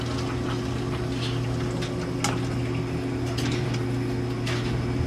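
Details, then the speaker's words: 2009 NTI Trinity Ti100 gas boiler after pressure switch/sensor replacement, system at 14 psi, zone calling for heat: steady low burner and circulator hum, no surging; blue flame ignites and stays lit, normal burner firing. "and we have a blue flame and the blue flame is staying lit"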